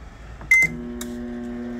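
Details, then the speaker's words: Electrolux MF41 31-litre microwave at switch-on while heating: a short beep, then a steady heavy low electrical hum with a jolt at start; an oversized transformer causing the loud noise. "tá vendo o barulho gente barulho bem pesado e dá até um trampo na hora de ligar"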